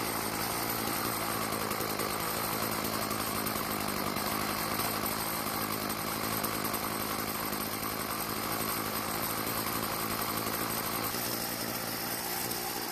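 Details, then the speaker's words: Stihl FS36 two-stroke trimmer, fresh out of storage and previously not starting, suspected carburetor: after turning the L screw about half a turn counterclockwise because it kept dying at idle, it buzzes at a steady, even idle with no surging or stalling. Normal idle. "so it starts and runs after a slight adjustment that it won't"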